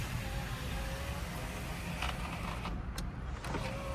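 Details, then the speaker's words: 2000 Jeep Cherokee XJ after new Dorman window motor and Obaee regulator install: smooth even motor whir as glass travels, no grinding, clicking or straining, on a window that hadn't worked in years; normal power window operation. "Don't hear any cracking glass. This window hasn't worked in years."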